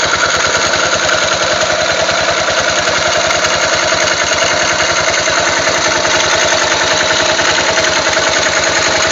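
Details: Yamaha XT 500 single-cylinder at idle after cam chain tensioner adjustment: steady, fairly quick light tapping over the exhaust beat; unexplained top-end engine noise.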